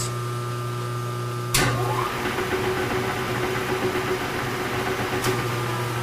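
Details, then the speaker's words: Milwaukee 2H plain mill, used purchase, first start bumped, running counterclockwise free and disengaged: hum with loose uneven fluttering rumble; owner pretty sure it's the worn, iffy drive belts. "okay it's going the right direction all right i just wanna i am pretty sure that that's the belts"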